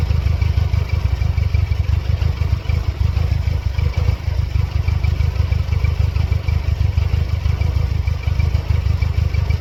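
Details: 1999 Mercedes-Benz C230 Kompressor W202 with periodically flashing check engine light, stalling when MAF or idle air control unplugged: low idle with a shaky irregular pulse, stumbling and hunting; misfire suspected, cause not confirmed.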